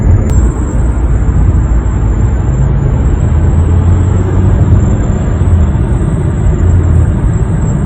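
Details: One-month-old 2021 Honda HR-V driving at 60–65 mph, windows closed, moonroof being tilted and opened: thin piercing whistle held steady above road and tyre rumble; dealer calls it normal, owner considers it a design flaw.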